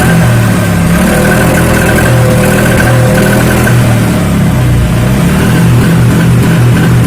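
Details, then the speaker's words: Honda Vario 125 fuel-injected scooter with the injection light blinking 8 times: uneven, stumbling revs and exhaust pops on throttle; misfire and backfire from a tampered TPS throttle position sensor (wedged, brass contact scraped). "Wis, suaranya gak enak, berundung berebet, nembak."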